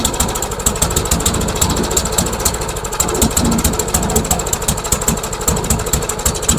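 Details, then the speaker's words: MTD Yard Machines mower, single-cylinder engine with replaced carburetor and gas tank: uneven, hunting beat with irregular chuffs, sounds over-choked like drowning in fuel; owner wonders about the governor, cause unknown. "let's give it another try weird it's almost like it's choked like crazy"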